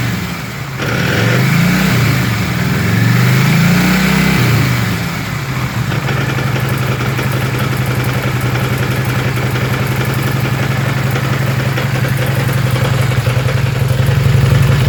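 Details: Kawasaki 800 motorcycle idling after a few throttle blips, uneven mechanical chatter under the exhaust note, thought to come from the clutch cylinder, which needs replacing; abnormal clutch-area noise.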